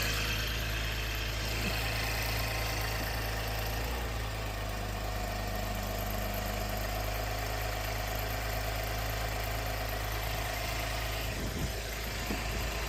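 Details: 2017 Chevy Camaro idling after coolant sensor and thermostat replacement, with coolant filled to the cold fill line before start-up. Smooth, even low idle with a steady rumble and no knocks or ticks; the engine is running healthy.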